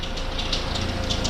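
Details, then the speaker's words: Vauxhall/Saab fleet car at idle: harsh metallic chirping bursts from the auxiliary drive belt, going quiet at once when sprayed; belt grooves later cleaned of dirt and oil, only spare belts wrong size. "if I go and take some of this spray which I'm not really meant to do a Bel and it immediately goes quiet"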